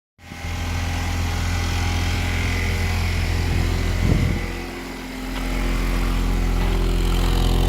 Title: 1998 z24 cavalier rod knock